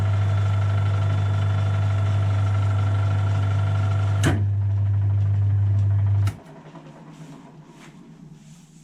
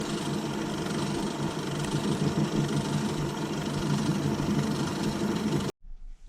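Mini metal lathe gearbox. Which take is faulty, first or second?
second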